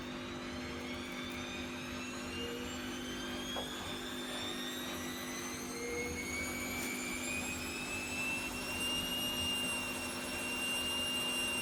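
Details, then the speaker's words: Bosch Vario Perfect WAK28260GB/11 washer, owner suspects bad drum bearings (reported noisy, play sometimes felt), empty drum full-cycle 1400 spin: rising whine and steady hum under hissy rush, no clear grinding; not loud, possibly not full 1400, bearings unconfirmed. "I've been testing this Bosch Vario Perfect WAK28260GB/11 washing machine to see if there's a problem with the bearings. I think there is. I've been told it's noisy and I thought there was play."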